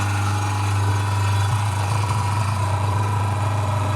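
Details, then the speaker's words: Fengda FD-186 oil-free airbrush compressor with 3 L tank, filling from empty (full in 1 min 30 s), at night indoors: loud, steady low hum with a constant motor drone, no knocks or surging; runs normally but is very loud. "It is super loud. I hope my neighbors are not home. It's 10 p.m."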